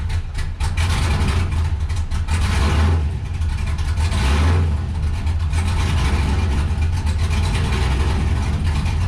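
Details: 1969 Camaro with cammed LS swap, first start-up: idle surges and sags every couple of seconds, deep drone swelling and dropping; hunting idle, running slightly rich and being tuned toward 14.5–14.7 AFR at idle before adjusting idle timing.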